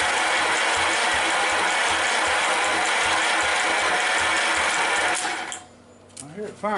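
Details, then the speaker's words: American LaFrance fire engine, Lycoming/Auburn V-12, first start in years with separate carburetor shutoffs: starter churn with uneven stumbling catches; engine suspected out of time. "it's jumping somewhere [Applause] i would definitely say that it's out of time hmm that's not good"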